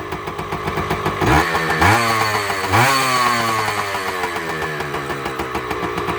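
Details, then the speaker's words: Two-stroke motorcycle, first cold start after right-side engine work, started within a few kicks; crisp popping idle, three throttle blips that rise and drop cleanly, then steady tick-over; healthy. "This is the first time this thing started here at this house. Purring like a kitten, baby. The sweet sound of a 2-stroke."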